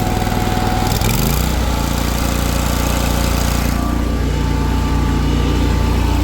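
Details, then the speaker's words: Exmark Lazer Z 52-inch commercial zero-turn mower with Kohler Command Pro (believed 24 hp): started on choke, catches after a second and settles into steady, even low thrum, no smoke, shaking, misses or knocks; runs smooth. "Pull the choke here, fires right up. No smoke, no shaking, I'll have it down for you. Just runs super smooth."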